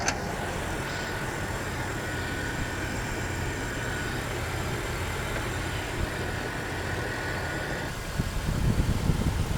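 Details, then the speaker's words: Jeep Wrangler just started, not yet driven: a quiet, smooth, even idle hum with no knocking, ticking or hunting. No check-engine lights and temperature steady. Normal idle. "absolutely perfect sounds amazing let me go pop the hood"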